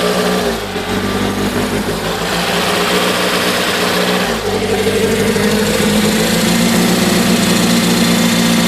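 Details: Toyota MR2 supercharged at idle: uneven, loose, wavering beat with a momentary dip in the note; running rough.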